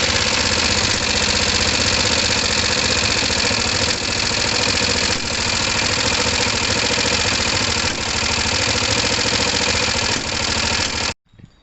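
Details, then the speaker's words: Kawasaki ER5 motorcycle, still cold, with raspy idle and occasional sharp pops spitting back through the carbs; owner thinks the fuel pump or filter isn't delivering enough fuel, leaning them out. "I think that fuel filtered, that fuel pump just wasn't putting out enough. That's why it was back spitting."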